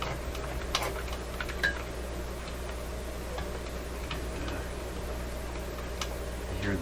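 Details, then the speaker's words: DeForest D556 five-tube radio powered up: sharp, irregular pings about every second over a steady low hum as the dial string slips; drag on the dry, dirty string and drum needs lubrication. "ping sound that's the string here not operating quite the way it should go back and forth"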